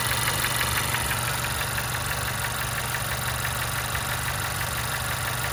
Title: 2016 Honda CR-V Engine Knock